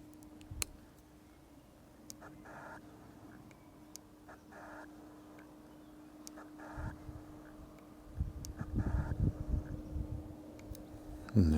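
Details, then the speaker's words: Sony FE 85mm F1.4 GM (SEL85F14GM) lens on A7RII filming 4K 30p: short buzzing whirs every couple of seconds in a quiet room from the autofocus motor, quite audible, so an external microphone is advised for video. "now there's many reports on this lens that it's a little bit noisy and what I'll do now is just show you a little bit of that noise it is quite audible"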